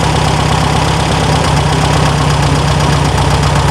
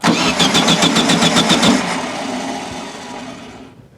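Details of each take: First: 1974/75 VW Super Beetle air-cooled four-cylinder with a new Pertronix ignition, restarted via bump button after timing work, airbox off: settles into a steady, even, smooth low-beat idle with no misses; running healthy. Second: 1974/75 VW Super Beetle after ignition rework with a new Pertronix: starter churns steadily about four turns a second, twice, no firing; fuel smell present, so it is getting fuel.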